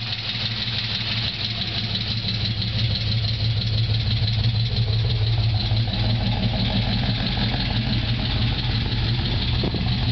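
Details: Holden VZ Senator V8 with bigger cam, ORT intake and dyno tune: a light quick lifter tick at idle from low oil pressure caused by badly worn cam bearings, later fixed by an engine rebuild.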